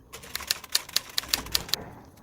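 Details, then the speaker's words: Arrma Kraton 6S dry differential with ADU parts, spun by hand after assembly: sharp evenly spaced clicks about five per second then quiet, sounds like locking up; mangled thread found, metal debris inside to be blown out with compressor. "This sounds not good. I don't know what's wrong there, but that doesn't sound good. Sounds like locking up, and"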